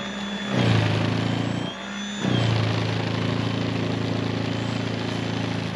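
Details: Greenworks 80V 20" brushless cordless snow blower running non-stop in deep powder, cleared to dirt in 6.5 minutes; steady motor hum with auger churn, pitch sags briefly biting snow then recovers: normal running under load.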